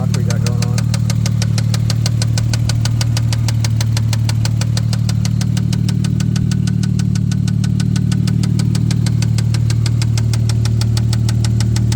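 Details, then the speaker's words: 1990 Toyota Supra 7M-GTE turbo manual inline-six idling with a steady, hollow knock about three times a second over the low rumble; rod knock suspected, not confirmed. "So here's the 90 turbo manual. I mean, it's not a bad car. I think it would have been a good project, but nobody really wanted to buy it, so sounds mean. 7M GTE. You can hear the rod"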